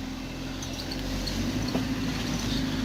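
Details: 2004 Citroen Jumper, customer reports grinding from the right front wheel: a steady low gritty hum under road noise while driving, diagnosed as a worn front wheel bearing with some seizing, to be replaced.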